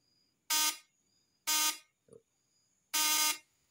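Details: Ignition coil test with a new condenser fitted: the vibrator (points) gives three crisp, strong buzzes, each under half a second, a clean, even high-pitched rattle with no roughness; secondary output measured over 250 V AC; normal vibrator buzz.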